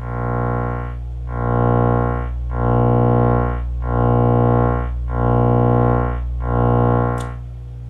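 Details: Miller & Kreisel V-2B subwoofer fed a 62 Hz tone slightly off the 60 Hz mains: low steady tone swells and fades about every 1.3 seconds as it beats against mains hum; defective main filter capacitors, replaced to fix.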